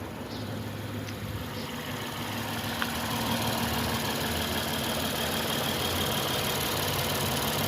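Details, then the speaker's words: Lexus IS250 (2007-2008) that had no crank, no start, no check engine light from 5 volt short to ground, after replacing faulty three-wire sensor with a used one: steady, even idle with low smooth hum, no misses or knocks; normal idle. "तो अब हमने fix किया, गाड़ी बिल्कुल सही हो गया, start हो गया है।"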